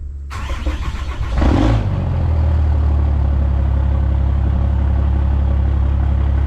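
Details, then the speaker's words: Dodge Cummins 6.7 diesel at 859k miles on factory injectors, cold start at about 37–38°F during a cylinder contribution test: catches after short crank, low slightly uneven idle; rough cold idle, bad injectors suspected, possibly cylinders five and six. "oh yeah it's running a little interesting one sounds normal let's go to number two interesting I think we're going to have a problem when we get to number five and six"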